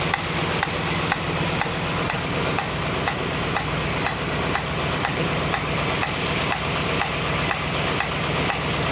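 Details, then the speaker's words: 1965 Mustang GT convertible running after a new alternator was fitted: steady light tick about twice a second over the idle, seemingly from the carburetor; a new noise of unknown cause. "so that's a new sound it sounds like it's coming out of the H carburetor"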